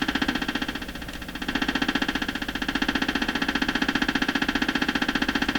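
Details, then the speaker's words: Stewart Warner R514 tube radio under restoration, tuned like an AM receiver: steady buzzing pulses about two and a half per second, very regular. It is rhythmic electrical interference from some unidentified device in the shop, not found by cutting one suspect's power. "so i'm going to turn this into a radio receiver here by picking that something here making that kind of noise there's something in my shop making this radio noise"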